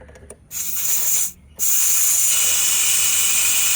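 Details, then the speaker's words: 2018 Audi A8L on jacks during air suspension compressor and valve block replacement: loud, high-pitched hiss in two bursts as a disconnected air line vents stored pressure and the car lowers. "That's a lot. Wow. I can feel the car coming down. I do have jacks on it. That is a lot of air."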